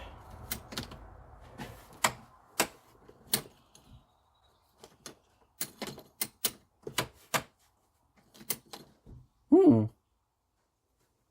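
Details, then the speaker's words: 2013 CF Moto Z6 after starter motor brush cleaning and reinstall: irregular sharp single clicks with no cranking; owner then traced it to bad battery connections. "Interesting. What the heck happened? I got nothing. I got nothing."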